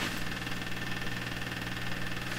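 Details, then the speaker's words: Canadian Marconi Model 93 tube radio under troubleshooting: steady fixed-pitch raspy buzz on the signal tracer. This is recurring shop electrical interference of unknown origin that often comes through radios. "See, there's that interference that you often hear in my shop. I have not sorted out where it comes from. You're hearing it on the signal tracer."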